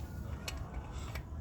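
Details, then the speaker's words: Yamaha FZ25 motorcycle: three sharp metallic knocks over a low rumble from a loose part on one side at the rear, which clacked when riding over holes. "Eu tava procurando em tudo quant é lugar, o barulho batendo assim, ó. quando andava com a moto, passava é no no buraco, algo do tipo."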